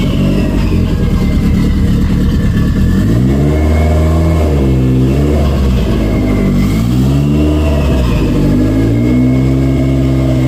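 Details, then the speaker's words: 1992 Toyota MR2 after throttle cable adjustment fixing the high idle: engine revs cleanly with each throttle blip and settles back evenly with no stumble or hunting; throttle responsive, problem fixed. "let's uh give it a a quick turn on and hopefully it it actually works turns on I can give it some revs and and it sounds good so fingers crossed let's check it out"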